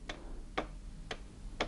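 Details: Chaika sewing machine (Podolsk Mechanical Plant, class 142): sharp, even ticks about twice a second, one per turn; shaft has about 0.5 mm free play, so connecting rod play lets the shuttle knock, causing skipped stitches on zigzag.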